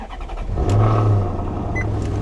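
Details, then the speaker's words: 2009 Maserati Quattroporte S with the 4.7 V8, left sitting under a tree: the engine catches at once, flares into a deep rev, then settles to a steady, even idle. A clean, healthy start. "Oh, listen to that. Beautiful. Beautiful. This is not the 4.2. This is the 4.7. And this engine is actually used in Ferraris."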